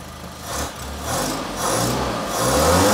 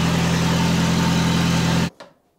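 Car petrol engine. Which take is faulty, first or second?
second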